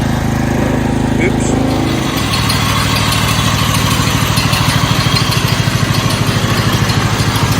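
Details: 1969 Blue Patio garden tractor single-cylinder engine after starter work: steady even putter with no misses or knocks, runs much better than at first start.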